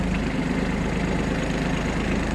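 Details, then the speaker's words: Kubota Aste A-13 diesel mini tractor, 756 engine hours, driving forward in first gear of the lowest range: steady low engine drone under light load, no gearbox whine, grinding or clunks; normal. "Итак, сейчас мы проверим, как работает наша коробка передач на на пониженных скоростях."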